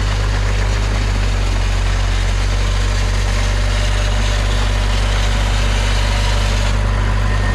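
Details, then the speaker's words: Hitachi EX75UR excavator diesel idling right after alternator replacement, old starter fitted: extra steady whirring on top that suddenly drops away near the end; starter motor running on after start, owner suspects ignition wiring. "I'm reviewing old footage and this happens right after I replace the alternator the starter is still running"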